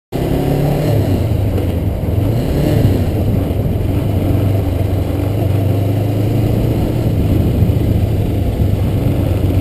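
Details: Kawasaki Ninja 500R twin running steadily with a rough clattery rumble underneath; odd mechanical noise of unknown source, the owner was told it could be the chain.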